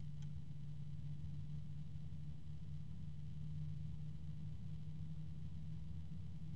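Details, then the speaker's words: DeepCool/Logisys UF140-X SF140 140 mm PWM fan at maximum speed: steady low hum with a second close tone clashing, a discordant possibly harmonic resonant drone, rotational and growing with speed; fan resonance noise. "I hear two different tones at the same time both are fairly low I hear another tone that sounds like it could be a harmonic resonance"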